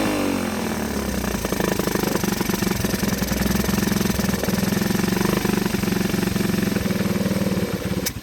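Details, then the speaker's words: 1984 Honda ATC 125 in neutral after a carburetor swap and fuel tank flush, having sat an unknown while. A small single thumps at a steady, even beat with no stumbles or knocks; healthy, settled idle. "she is idling I don't know how long she sat before she ran I'm guessing a good while"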